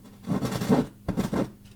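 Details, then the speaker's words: Vintage JVC VN-300 receiver on service speakers at first power-up, no signal connected to line inputs: faint steady hum broken by bursts of loud scratchy crackling; crackle worrying; volume potentiometer later replaced. "Dodam tylko, że jeszcze sygnału audio w ogóle nie podłączyłem do wejść liniowych, także coś takiego jest. O, jest faktycznie głośny trzask. No te trzaski są niepokojące generalnie."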